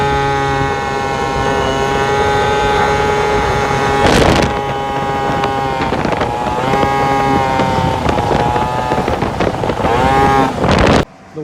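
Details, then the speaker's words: Vento Triton R4 two-stroke after re-jetting to a 110 jet: revs up and down through wind noise, gurgling at medium throttle and bogging slightly at full throttle; temps jump to 204 after shutdown. Carburetor running rich. "it gurgles just a little bit when I'm at like medium throttle and I give a Full Throttle a verbal but she does rough uh"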